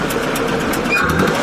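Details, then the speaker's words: Engine of a vehicle taken in a swap for a Series Land Rover, idling with a loose spark plug held down by a makeshift tube and slotted washer: sharp puffing chuff about five times a second in step with firing. Compression still leaking past the spark plug. "Still blowing through it a little bit. Do you hear that like chaffing noise?"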